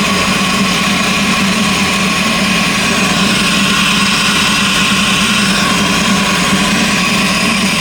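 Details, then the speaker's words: LS V8 in a Cutlass, idling to recharge the battery: a loud, busy idle with an uneven, stumbling beat underneath. One cylinder is misfiring from a spark plug wire arcing, costing power. "So that's why I'm not really getting the full power of it. And I probably ain't really got the full power of it since I've been driving because it's been arcing."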